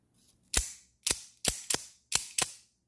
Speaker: perfect no more Boeing no more no more Acoustics good as new